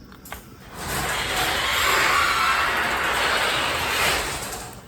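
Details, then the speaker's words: Genie garage door opener after fixing loose chain and resetting limits: smooth, even motor hum and chain travel about four seconds, no grinding or clunking; normal opener run. "So anyway, the point is, everything worked out good. It's running good. He don't need a replacement on anything."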